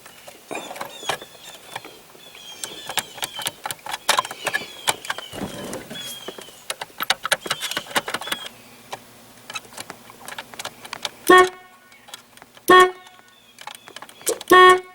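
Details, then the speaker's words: 1982 Chevrolet Camaro (third gen) that sat unused for two decades. Clicks and rattles, then three short, clear honks. The horn works again after the wheels were lifted off the ground and the steering wheel turned lock to lock about 20 times to free the column horn contact. "it's working sometime so just by revolving the steering wheel back and forth about probably 20 times lock the lock"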